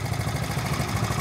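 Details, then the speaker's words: 1970 Honda Trail 70 single, after years sitting drained, new clamps, stabilizer added: steady, even low putter at idle with no misses, ticks or hunting; owner reports no issues, normal idle. "but you can see she's uh that sound brings back memories no issues just a fun little ride"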